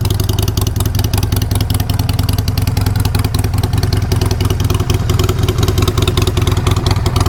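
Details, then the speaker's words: Newly bought 5,417-mile V-twin motorcycle, cold start at idle: loose uneven metallic rattle about three times a second toward the rear/exhaust area, also heard when kicked; source unknown. "there is a little bit of a Rattle and the rattle is coming back to right around this area you can even hear it when I kick it I don't know what the issue is"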